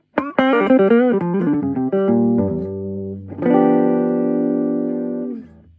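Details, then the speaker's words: Torque Acoustics T100L guitar amp (~1989/early 90s, Made in England) after repair and reassembly: plucked notes and a held chord come through clean and full with even sustain, no hum, crackle or breakup; normal amplifier output. "Very tight sound. It's working beautifully."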